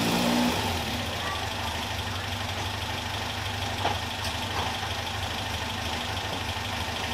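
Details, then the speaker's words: Caterham Super Seven 1600 engine with #60 idle jet: even, steady idle, no stumble or popping; backfiring stopped but jet judged too rich for this car, afterfire worsened. "The #60 idling jet is definitely too thick for this car, but I can now run it without backfiring!"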